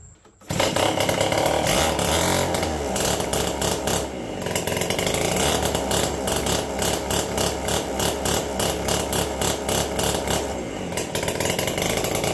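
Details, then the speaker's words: APC mini chopper small engine, garage-sale find being revived, buzzes up then cuts in and out at the same speed as if hitting a rev limiter; owner suspects it needs external battery voltage beyond what the engine produces; fuse also blown. "so another issue I'm having now is that it's got like a rev limiter on"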